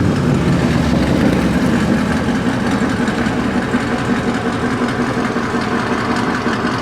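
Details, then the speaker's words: Car idling after O2 sensor replacement: steady, even low rumble with the earlier rattle no longer heard, problem seemingly fixed. "Yeah, problem seems to be fixed, y'all. Freaking O2 sensors replaced. I don't hear that rattling noise yet."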